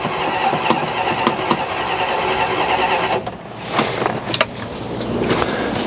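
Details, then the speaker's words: 1969 Dodge Coronet long sitting, suspected clogged carburetor that had backfired flames: starter grinds with a few uneven catches and pops but never runs; seems to be getting spark and no longer blowing back through the carb. "Sounds like it's getting spark. Sounds better, too. It ain't it ain't freaking uh blowing back out of the carburetor."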